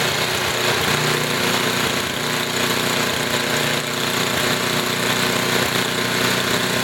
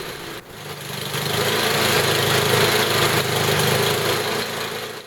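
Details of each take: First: Small engine with Tecumseh carburetor after tuning high-speed and idle mixture screws, idle speed raised slightly: low, even putter with steady beat, no misses or surging; normal idle just above stall. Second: Tecumseh HM80 8 hp small engine, fully warm, during carburetor tuning. High-speed mixture screw being turned (left richer, right leaner). Running evens out then worsens, a slightly ragged beat swelling and sagging: uneven running from incorrect carburetor mixture.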